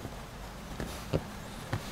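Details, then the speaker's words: Lexus RX second generation after rubber door seal fitted around dashboard perimeter, driving: low road rumble and a few soft bumps, no dashboard squeak; squeak came from dashboard locating pins rubbing in body slots. "так вот значит резинку протянули по всему периметру теперь как видите и слышите что ничего больше не скрипит главный скрип"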